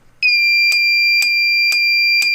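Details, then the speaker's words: Fire-Lite MS-10UD 10-zone conventional fire alarm panel switched to battery backup (batteries about 27 V): steady high-pitched trouble tone pulsing about twice a second; same with breaker off, cause unknown. "yeah i don't know why it does that but that happens also this it does the same thing if i completely shut off the breaker"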